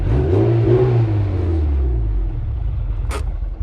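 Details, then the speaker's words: Honda S2000 with fully built K24 swap, after fixing non-working cam command (VTC solenoids rewired): strong rev sweeping up and easing down smoothly, no misses or stumbles; engine now sounds healthy and drives good. "Happy boy. That's fixed. It sounds good. It does. It does. It drives good too."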